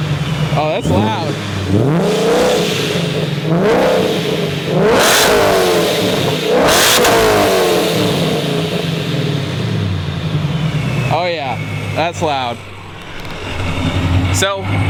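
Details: Ford Mustang Coyote V8, Procharged, after fitting Borla XR1 3-inch-in/out mufflers in place of the existing exhaust: repeated sharp revs rising and falling, deep, loud and raspy, no misses or knocks; normal healthy exhaust note.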